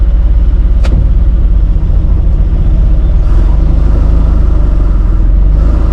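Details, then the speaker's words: Free 1951 Plymouth, formerly locked-up engine, after a drive with stuck brakes: low steady rumble with faint regular knock underneath as oil pressure drops; knock previously mentioned by someone else, owner plans thick heavy-duty diesel oil. "Oil pressure's down, and I'm starting to hear that that knock the guy was talking about. I'm gonna have to put some thick oil in it."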